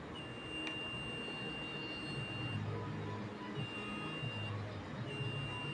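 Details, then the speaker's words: Multimeter set to continuity gives a thin, high beep three times, faint against room hiss, because the meter's battery is low; weak continuity beep. "मैं कोशिश करूंगा कि आपको इसकी beep की आवाज सुनाई दे क्योंकि दोस्तों इसकी बीप की आवाज बहुत ज्यादा कम हो चुकी है। ड्यू टू बैटरी जो है वो हमारे लो है।"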